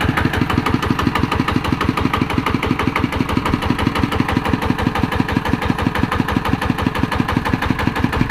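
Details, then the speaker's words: ET110 single-cylinder diesel after rebuild with reground crankshaft: even regular thumping, no knock or miss, normal speed; white smoke on acceleration cured. "อนี้รอบปกติครับเคครับอ่าปกติดีฮะ"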